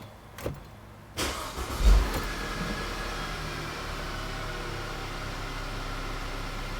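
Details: 2009-2012 Audi A4 B8 2.0 TFSI right after fuel filter replacement at the in-tank pump, heard from inside with the rear seat removed: the fuel pump primes and hums, then the engine catches cleanly and idles steady and even. Normal start.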